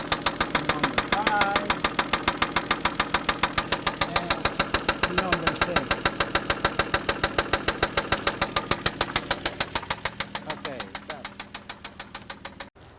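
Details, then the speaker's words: Toyota Land Cruiser at idle, microphone on a screwdriver touching the engine block, gives a sharp, very regular metallic knock about 3.5 per second; rod bearing suspected, not confirmed. "we're gonna touch the screwdriver against the engine while it's running and that'll transfer that noise up to the microphone let's see if that gives us any better indication where the noise is coming from"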